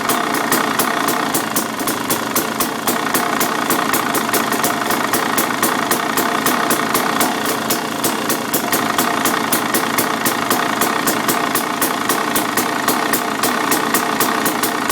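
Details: 2013 KTM 300 EXC two-stroke idling: loud steady metallic rattle about four clacks a second, suspected clutch noise, softens slightly with clutch lever pulled but never goes away, until engine cuts; others say normal. Unconfirmed.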